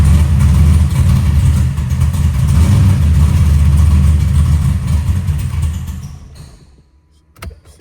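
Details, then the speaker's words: Big-block Chevy with a carburetor and added timing: V8 lopes roughly at idle then dies within seconds with no foot on the gas; owner says it needs an idle mixture adjustment. "I ain't got I ain't got my foot on the gas. It ain't going to stay running."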